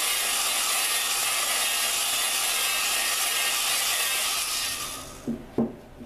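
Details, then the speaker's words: Dodge 4.7 engine valve being lapped with a drill: gritty, sandy high grinding of fresh granular lapping compound cutting the valve seat for about five seconds, then fading as compound thins and just spins off the surface. "So, as you're doing it, you can hear the the uh when you first start, you can hear all the grain granular portions of the the gr the compound. You can hear that doing its job."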